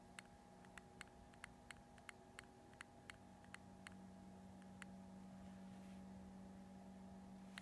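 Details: New Multistar 2216 v2 brushless outrunner motor running: sharp, uneven clicks about three per second over a steady hum; owner suspects a bad bearing, unconfirmed; other motors of the set are fine or milder.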